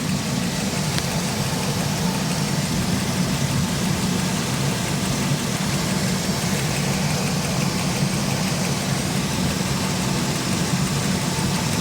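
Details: 2003 Chevy Express van idling: light ticking over a steady engine, resembling tensioner or lifter tick, turned out to be a loose spark plug boot.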